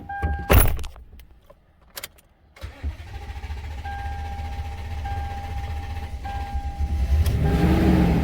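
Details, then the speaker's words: Toyota with a P1604 startability code, restarted after its throttle body was cleaned and flooded with cleaner; a long crank, then an uneven, labouring idle, misfiring from cleaner and intake buildup, with the check engine light flashing. "And like I said, yes, you are going to flood this thing out on cleaner. So when we go to restart it, it's going to struggle a little bit."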